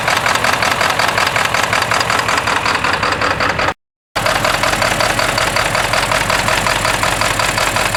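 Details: 1997 Ford F-250 7.3L PowerStroke turbo diesel after a cold start at 65°F: loud, uneven diesel clatter at idle, knocking about 160 times a minute with a lumpy beat. Rough idle from faulty injectors.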